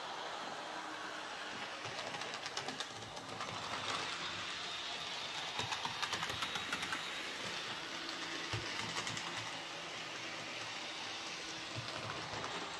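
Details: Hornby J36 model locomotive, previously screeching, after adding gear oil mixed with white grease to the worm gear: smooth even motor whirr with steady rail clicks and no gear screech; running normally after lubrication.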